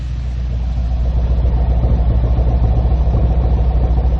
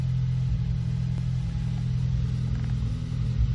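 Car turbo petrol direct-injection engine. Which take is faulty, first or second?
second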